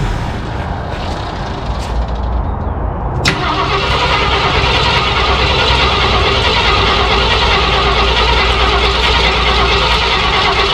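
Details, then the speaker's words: 1968 Ford F100 parked 12 years, cold start: steady cranking about three turns a second under a loud hiss, never catching. No start from fuel starvation because the fuel pump was off. "I don't have the fuel pump off we're not getting filled okay that's why I ran for a second try it now give it a couple pumps fuel pump was off"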